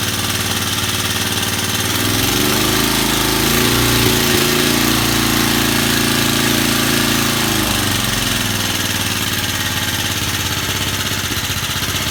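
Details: Vintage Cooper Klipper reel mower, restarted after the crankcase was filled with 10W-30 oil. It catches and settles into a steady, even putter of about three beats a second; running normally.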